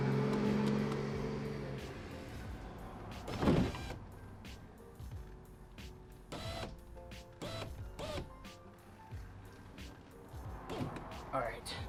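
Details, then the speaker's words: 2007 Mazda 3 power window after new regulator and switchboard installed: motor hums briefly and evenly as the glass travels, no grinding or clicking; window works normally. "looks like it works the switchboard the old one still attached"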